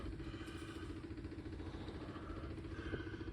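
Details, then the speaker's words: 1940 Ford, first start since November after fuel tank and sending unit install: quiet, fast, even electric fuel pump ticking that slows as the lines fill; normal priming before a carbureted start. "got a little bit of gas registering on the gas gauge so uh setting unit must be working I can hear the fuel pump slowing"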